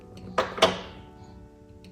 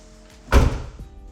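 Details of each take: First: Kia Optima Hybrid (2016-2020) trunk latch that failed after a car wash: two paired sharp clicks, the latch operates but never catches and locks; defective latch to be replaced. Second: 2016-2020 Kia Optima Hybrid after replacing a failed trunk latch: one solid, deep thunk as the lid drops and catches cleanly with no rattle; trunk latch closing normally.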